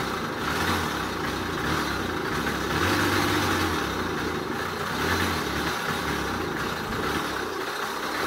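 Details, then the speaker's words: Old Honda Express two-stroke moped, first start: uneven tinny rattle over the buzz like a can of bearings, running rough and clattery; it then stalls, owner suspects bad main bearings with leaking seals letting in air. "it sounds like a coffee can a metal coffee can full of borrowed bearings let's take this jewel for a rip while we can before it scatters itself all over the shop in the yard and everything else"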